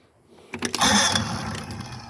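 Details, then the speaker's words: 1964 Glasspar Super G boat, sitting a while, second or third start of the day, tends to lose prime overnight: a few quick cranking bursts, then catches into a steady buzzing idle; normal start. "Let's see if she goes here. There you go. So it's been sitting for, this is the second or third start today."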